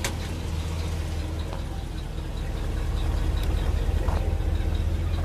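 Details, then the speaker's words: 1983 Chevy C30 bucket truck, Chevy 350 V8, manual four-speed, 25 ft Telco boom, at idle with PTO engaged via clutch: steady even low rumble, no knocks or misses; healthy engine. "I have the PTO engaged right now normally you would just push in your clutch pull out your pto you'll hear it engage in the system the other gears engage okay"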